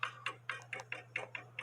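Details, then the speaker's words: 1880 Alexander Fleig cuckoo clock movement, pendulum leader wire ticking with a finger held on it: crisp, evenly spaced ticks about four per second over a faint hum, showing the clock is in beat. "with me putting my finger there still the pendulum leader wire is still ticking away and that way I know it's in beat"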